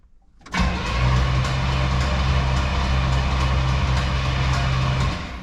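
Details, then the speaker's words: 1967 Pontiac Grand Prix convertible, 400 cu in 350 hp V8, sat outside for years; first crank with fresh battery, cylinders filled, plugs not yet in: uneven chuffing cranking, odd noise, possibly just air leaving the cylinders, uncertain. "it could just be air coming out of the cylinders but maybe it's not I don't know"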